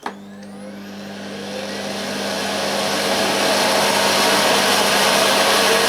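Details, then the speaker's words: New UK-made Hoover Sensory Floormaster TS2265 bagged cylinder vacuum turned up from lowest setting to maximum; motor spins up into strong steady whine with rushing air, over 400 air watts, healthy full suction. "wow that's one heck of a suck good suction over 400 air watts is good"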